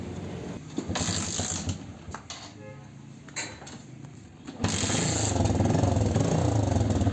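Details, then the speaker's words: TVS Victor 3-valve motorcycle after repair of a knocking, non-starting engine with timing chain tensioner work: it fires after handling noise and settles into an even, steady idle with no knocks or rattles (the silencer is cracked). "हैं engine में कोई भी sound नहीं है बिल्कुल first class"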